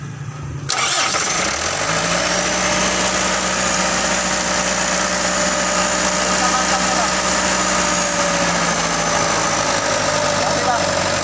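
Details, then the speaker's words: Mitsubishi Canter 125 diesel truck that was hard to start: catches abruptly, runs rough and uneven, speed sagging; will not hold idle, injection pump suspected, pump timing to be set. "mobil ini sudah tidak mau langsam"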